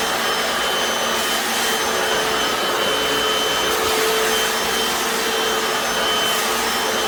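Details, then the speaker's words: Hoover FloorMate Deluxe hard floor scrubber in wash mode on tile, vinegar-water solution: steady, even motor whine with soft brush hiss, no surging or rattles; normal operation. "I turned it on to wash, and I'm pushing, that's what that looks like."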